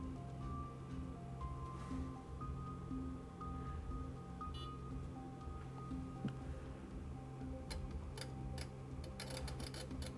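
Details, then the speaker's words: Sherwood RV-6030R A/V receiver under repair, 1 kHz test signal into CD input: sharp, irregular clicks like a small relay from behind the front panel; suspected connection issue on that side of the front panel. "like a small relay clicking coming from the back of the front panel hear that that's all dead ah well that's not good"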